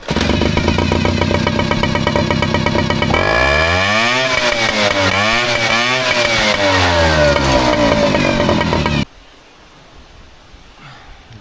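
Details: Air-cooled Yamaha 3.5 with its broken fuel pump bypassed by a scooter fuel filter, choke on and warmed up a few minutes, runs steady, then revs cleanly up and down twice without stumbling before shutting off; normal revving.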